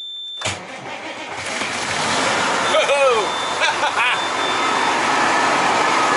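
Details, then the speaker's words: 2002 Freightliner Century diesel, cold start at about 37–38°F after a brief glow-plug wait, not plugged in, batteries charged: catches after a brief crank and settles into a steady, even idle; the owner earlier found oil in the intake. "I couldn't believe she fired right up"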